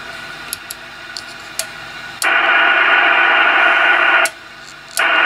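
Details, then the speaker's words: Icom IC-745 HF transceiver, AF gain wide open, switching through bands: receiver quiet with little noise on some bands, hissing on others, working up to about 7 MHz and from 15 to 21 MHz; pointing to faulty VCO trimmer capacitors. "so what this is telling me just by listening to the receiver and running through the bands that you can see some bands are working some bands are"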